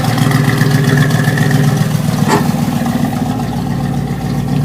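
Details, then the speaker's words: Ford F100 XLT with 351 Cleveland V8, first start after rescue, idling on gas (LPG): loud lumpy idle with sharp puffing tick about 220 a minute, a horrid exhaust leak underneath, possibly another leak on the other side. "It's got a horrid exhaust leak down there. Rotten exhaust leak. Might even have another exhaust leak on this side, I think."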